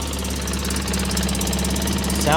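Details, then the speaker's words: 2003 Polaris Sportsman 600 fired up after reassembly: a steady, even idle with a smooth hum and no knocks or misses. The engine sounds healthy, though a cracked Y-pipe exhaust leak was found afterwards. "Now we can try to fire it up. Sounded good right there."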